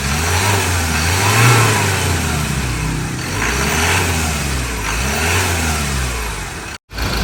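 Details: Ford Ranger 2.2 diesel that would not start (injectors previously repaired, SCV and lift pump replaced) after injector repair: revs rise and fall smoothly in repeated blips, even clatter with no misses or knocks; engine healthy.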